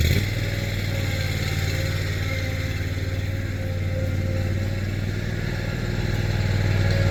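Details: Craftsman Z6400 zero-turn mower after hydro drive belt replacement, revved up with blades engaged: steady, even low engine drone, revs holding smooth with no slipping or squeal; running normally.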